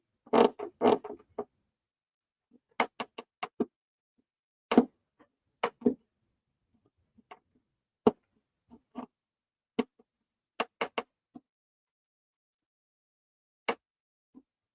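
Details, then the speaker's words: Simply Blues control-line stunt model plane, flap and elevator being attached: short dry creaks and squeaks each time the flap is worked by hand, from paint rubbing at the hinge. "these damn cameras I need somebody to help me operate these stupid cameras there we are that's the paint you hear"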